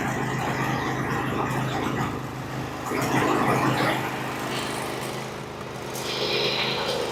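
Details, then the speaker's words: Briggs & Stratton 24 hp twin on a Husqvarna, low on power, at fast idle with the non-factory governor-linkage wire removed; dirty oil, old gas. One cylinder already repaired; the other side runs unevenly with backfiring and popping, suggesting an intake valve not sealing. "I y heard that we're going to have a problem on this other side too there backfiring popping"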